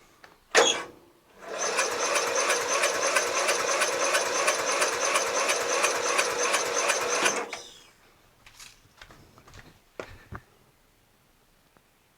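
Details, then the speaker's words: Murray widebody lawn tractor with 12.5 hp Briggs flathead, compression tester fitted, plug out: quick light even cranking with little resistance; reads about 50 psi, low compression, though it ran; more running hoped to improve it. "50/50 is terrible hmm 50 is terrible but ran"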